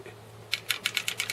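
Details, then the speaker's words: Boat trailer winch being cranked to pull a boat onto the trailer: crisp regular ratchet clicks about every eighth of a second, the spring-held locking pawl engaging normally; no clicking would mean the pin is disengaged. "you're going to hear a clicking sound if you don't hear that winch clicking stop immediately folks"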